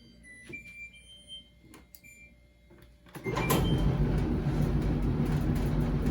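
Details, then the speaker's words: Kenmore/LG gas dryer after the guide wheel with a bad bearing and flat spot was replaced: a few light clicks, then a steady, even low rumble with no clunking or knocking. "I replaced the guide wheel that was that had the bad bearing and a flat spot I reassembled the dryer and now we no longer have any clunking"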